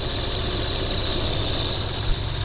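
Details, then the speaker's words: 2011 Lexus IS 350 F Sport, first start after fitting RR Racing Stage II supercharger kit: uneven shaky idle with loud steady blower whine, cause not yet known; rough idle with supercharger whine. "supercharger is spinning so the car starts that's awesome i'm not sure if it's supposed to sound like that"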